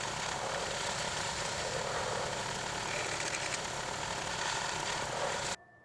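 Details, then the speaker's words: Clarke 20-ton log splitter after its original engine was replaced with a 5 hp engine: a steady, even buzz with no hunting or misfire for about five seconds, then it is shut off. It is running normally. "It's been working great so far. Been quite happy with the performance of it with this 5-horse engine on here. Seems to be running pretty well now."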